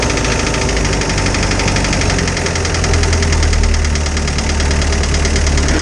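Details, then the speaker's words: Isuzu 4BD2T diesel in a snowcat, first start after a head swap to fix an exhaust-to-coolant leak, with valves already adjusted once. Idle has a quick, even light clatter over a steady rumble. One valve is still noisy and the valves likely need readjusting. "sounds like i need to adjust the valves a little bit better [Music] i got one valve in there that's just been [Music] annoying"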